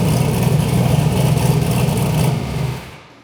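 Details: Turbo V8 Ford Fairmont just after replacing bent connecting rods with straight ones. A strong, steady run under some throttle with no knock or tapping ends in a clean shutdown, so the bottom end sounds healthy.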